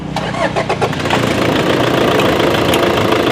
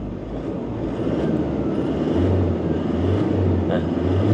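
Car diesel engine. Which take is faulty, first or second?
first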